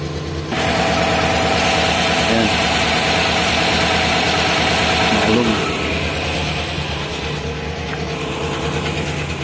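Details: Chevrolet Tahoe V8 at idle with an uneven, lumpy beat of about three stumbles a second: an engine misfire. Suggested checks are ignition coil, high-tension wires, spark plugs, injectors and fuel system, and wiring harness.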